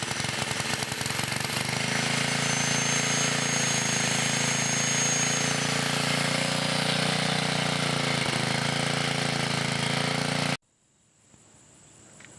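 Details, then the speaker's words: 1980 Montgomery Wards 2200 W generator, Briggs & Stratton 5HP, after NOS block swap and carb rebuild, under changing loads; steady single-cylinder drone with slight pitch sag, speed not coming back up fully: carburetor and governor issues. "having a few issues with the carburetor and the governor they're not coming back up all the way"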